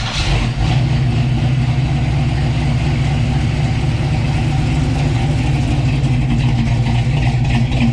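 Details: 1966 Chevy Belair, 461 big block V8, Holley Sniper with Hyper Spark, after fitting clocked high-output alternator for poor charging, battery had been dead: deep steady idle, even low rumble, no knocks or misses; normal idle.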